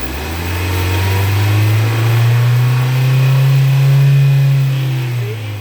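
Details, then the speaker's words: Mass airflow sensor GDI engine idling during intake valve carbon cleaning; brake cleaner misted into intake raises idle, hum climbs in pitch, holds higher a few seconds, then eases back: idle rise with solvent in intake. "What we're doing here is we're going to mist it so that the brake clean doesn't puddle. You can actually hear the idle change. More RPM."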